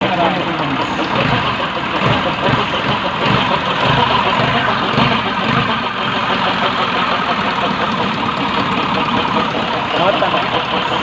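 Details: Isuzu 4HG1 diesel idling steadily with a rough, irregular ticking rattle over it; abnormal sound caused by a damaged idler pulley.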